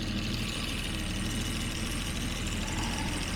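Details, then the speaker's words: Jaguar XJ6 daily driver idling after a coolant refill, warming up in strong wind: steady, even low rumble with no stumbles and wind hiss; it had been misfiring, owner suspected moisture in the fuel. "so far I think we're pretty good I'm gonna let it run here"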